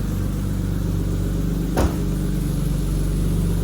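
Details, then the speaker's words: 1989 BMW E30 320i started with a proper battery after not starting: steady even low rumble, smooth firing, one brief blip, no knocks or misses; normal running. "not bad eh not bad I'm going to have to get pretty creative getting out of this parking space hope I don't stall it"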